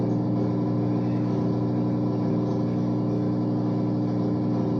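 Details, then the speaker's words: Whirlpool washer that kept draining nonstop, after replacing the control board (part W11578827), running its self-test with the water supply off: a steady, even motor hum with a faint slow pulse and no knocks or grinding. Normal self-test cycle. "Al estar ahí le damos estar y empieza a testear. Tranca la la puerta. Ah, no le tengo abiertas las aguas, pero igual ella está haciendo el proceso."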